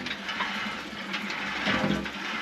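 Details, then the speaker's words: Dempster well pump: hissing, gurgling rush as it sucks air instead of water after a couple of cycles, with air displacing the water and the pump losing its prime. "Yep. That's what it's doing after a couple cycles of this. Once once air displaces that water in that pump,"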